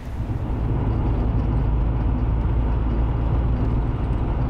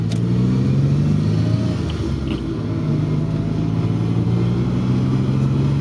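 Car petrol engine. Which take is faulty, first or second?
second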